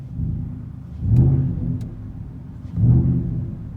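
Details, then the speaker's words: Truck with Flowmaster Outlaw exhaust, heard inside the cab at about 800 rpm: deep, low hum that swells gently every couple of seconds; normal exhaust drone at idle. "so just drone noise wise this is what you hear when you're just sitting here i'm sure you guys can hear"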